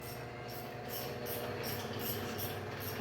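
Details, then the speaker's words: Fiat Toro engine running: quiet hum with a sharp high chirp repeating about three times a second; water pump bearing loose and failed, replacement needs manifold and alternator removed. "Bom dia minha querida barulho Tá na bomba d'água tá bomba d'água é essa peça aqui ela tá Bamba ela estourou"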